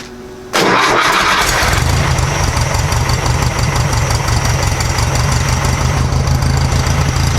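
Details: 1956 VW Beetle air-cooled flat-four with Solex carburetor after valve readjustment to 0.006in: cranks briefly, catches at once, settles to steady even idle with no misses, knocks or rattle; much quieter than before.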